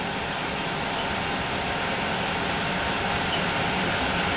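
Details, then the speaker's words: RV furnace after mud wasp nests were cleared from the exhaust, with more suspected inside. The blower kicks in with a constant, smooth rush of air and no squeal or scrape; ignition is expected within 15 seconds. The blower runs normally. "okay so Fan's going to kick in and then within 15 seconds after that we should have a ignition"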